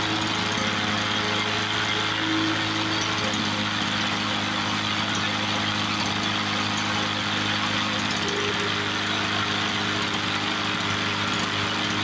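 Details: 1986 Toro 21-inch commercial mower with Suzuki two-stroke engine, apparently unrun for years, revived: crisp, even two-stroke buzz holding steady speed without surging or stalling; normal running.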